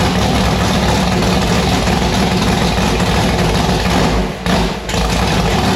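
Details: Annabelle's V8 running on E85 just after installing a returned 1150cfm Pro Systems carburettor: heavy loping idle with uneven deep pulses and a brief stumble near the end, sounding violent; lumpy, untuned idle on the new carb.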